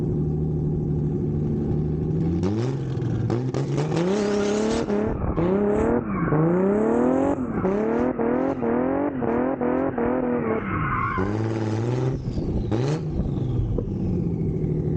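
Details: Nissan 350Z drift car repaired after Pocono crash (control arms, steering rack, intercooler, tubing), first test drive accelerating hard: strong clean pull with rising pitch and crisp shifts, no misfire, rattle or whine; healthy.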